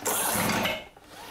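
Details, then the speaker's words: Almost new Stihl BR450C two-stroke leaf blower, electric start tried with choke on: harsh metallic rattle inside the engine for about half a second, then fades; sounds damaged internally, cause not confirmed, fuel checked next. "Y no pasa nada. (ruidos de traqueteo dentro del motor) Y eso no suena bien por cierto."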